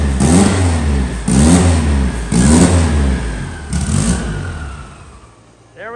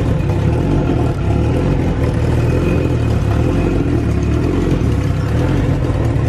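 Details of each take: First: Car engine just started on all four cylinders after fixing the cam sensor and cam sync: crisp, clean throttle blips about once a second, rising and falling smoothly; synced up and running properly. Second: SHO'NUFF engine at idle after fitting a new manifold: fast light ticking riding on the exhaust pulses, like an exhaust leak; found to be gas escaping from an open EGR port the new manifold lacks a block-off for.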